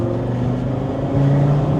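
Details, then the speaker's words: Audi RS3 2.5-liter on a cold day while driving: low rough exhaust drone grows louder and turns very smooth as revs climb; owner suspects cam change, a friend suggests wastegate position change at set rpm; unconfirmed. "from a very rough sounding exhaust tone to like very smooth and I think it's the cam"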